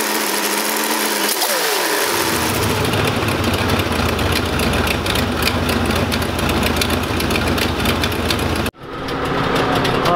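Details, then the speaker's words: IROC-Z Camaro with a 350 V8, apparently from a 1974 Chevrolet, idling around 1100 rpm at a lazy, steady beat; when the electric fan switches on, the idle sags under the electrical load; alternator suspected, battery possibly, not confirmed. "So right now the electric fan is on. You can hear it actually pull down the engine quite a bit, so I think that either the alternator or the battery or both are going bad."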